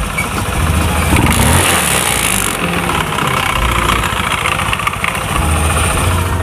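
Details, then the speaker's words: Honda Beat FI scooter idling and revving: loud uneven rattling clatter from the CVT rising with revs, like worn rollers or roller housing; CVT found very dirty when opened. "kalau kita perhatikan ya teman-teman suaranya itu seperti suara roller ya atau rumah roller yang sudah haus"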